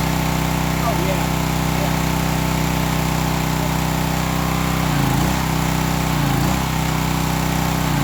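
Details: Old Craftsman pressure washer with pump on, water supply connected: steady small single-cylinder engine drone with an even pump pulse under it, no knocks or misses; pump confirmed working, repair good.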